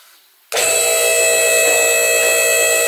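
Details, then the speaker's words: BendPak 4-post lift, 220 V single-phase hydraulic unit: steady even hum about 2.5 seconds, stopping cleanly, raising lift slightly before lowering to free safety locks; normal pump run. "So what you want to do is, when you want to lower the vehicle, you want to raise the lift a little bit."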